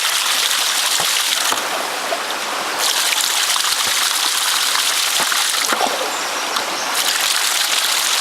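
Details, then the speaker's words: Ram pump drive pipe (penstock) with creek flow down and weights being adjusted: steady rushing water with a hollow back-gurgle between cycles and no firm slams, meaning air is getting into the drive pipe. "Hear that? Hear that? That's the sound of that back gurgle. That's air. That's what you don't want."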